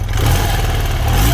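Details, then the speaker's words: 35-year-old BMW boxer motorcycle with warm engine, oil at 83 °C, revved in neutral after pre-shipping repairs: smooth pull-up with a low, even thrum and only mild valve clatter; sounds healthy, better than before. "好的，挂空挡，拉动启动绳，它运转了，乍一看，一切听起来都不错。说真的，听起来比以前好多了。"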